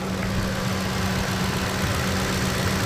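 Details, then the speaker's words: Ford 5.4 Triton after timing-chain kit replacement and reassembly: a smooth even idle with a low drone and noisy injector ticking, no real knock underneath; a manifold leak remains. Engine sounds healthy. "i will tell you the engine is like velvety smooth sounding right velvet smooth as a sound these days right not the injectors the injectors are very noisy on this engine"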